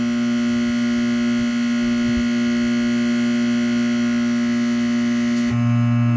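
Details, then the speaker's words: Laney guitar amplifier with loud steady low mains hum; tapping a capacitor stops it, traced to the capacitor. "pag pukpukin natin yung capacitor mga LS oh oh ayun Ito lang yung problem sir hindi mo nakita agad y nawala yung haming pag bitawan ko to"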